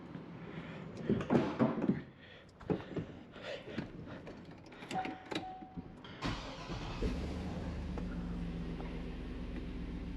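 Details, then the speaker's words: 2006 Chevy Silverado truck that stayed running with the key off. After a jumper wire runs from the suspect ground to the battery ground, it cranks, catches and holds a smooth, steady idle, then shuts off properly. Normal running. "well that's a good sign high beams work truck shuts off like it's supposed to perfect"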